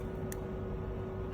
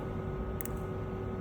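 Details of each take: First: on, off, on, off. Dengar eh. Bila off tu dia satu klik aje on klik off satu klik. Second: Okey ni lagi satu contoh injector yang ada problem. Dengar bunyi dia baik-baik. Ni on dan off. Dengar off dia ada dua klik.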